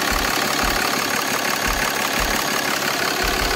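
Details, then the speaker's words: Diesel truck with compound turbos at first startup after build, fresh AMSOIL oil, checking coolant fitting for leaks: even idle with light regular clatter and steady low pulses about three a second, really quiet. Normal idle. "brand-new oil in here really quiet Wow I like this you know AMSOIL quiet"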